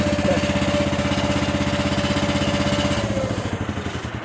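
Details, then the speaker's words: 1977 John Deere 300 riding mower back from small engine shop, running at steady speed: even firing with no misses, pops or surging; healthy. "I mean, you guys have no idea how relieved I am that this thing runs"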